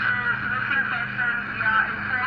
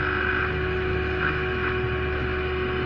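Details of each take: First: Radio that previously received no MW or FM stations, after repair and with a longer antenna wire: steady, clean FM broadcast audio, no crackle, hiss or dropouts; clear FM reception, fully fixed. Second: Radio that powers on but receives no medium-wave or FM stations: on FM band, holding the antenna wire and turning the tuning, only steady hum and hiss, no station; no FM reception, before repair.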